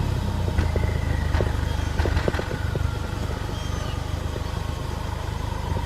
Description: Misfire due to bad spark plug